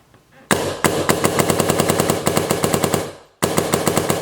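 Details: 2010 DM10 paintball marker restored after sitting about 10 years, gassed up with suppressor fitted: sharp rapid pops in even bursts, about six shots a second, crisp and consistent; cycling properly.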